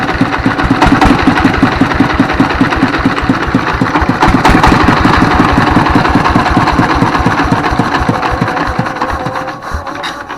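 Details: 24 HP single-cylinder diesel S1115 after repair for heavy black smoke and surging: steady thump about four beats a second, speed drifting gently up and down at idle, considered normal; smoke much reduced.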